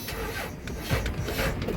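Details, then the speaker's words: Truck started with throttle pressed: brief, labored, uneven cranking rasp, engine turns weakly but never fires; slow crank, no start, cause not confirmed. "Oh, she dead. Oh well. All right, well, I guess we're not gonna get to fire it up."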